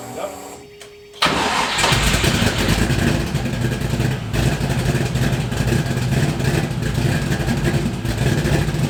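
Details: LS V8-swapped Miata, first start in 7 months after Mishimoto radiator install; brief crank, catches, settles to choppy cam lope around 1000 rpm cold (idle set 850), good oil pressure, healthy.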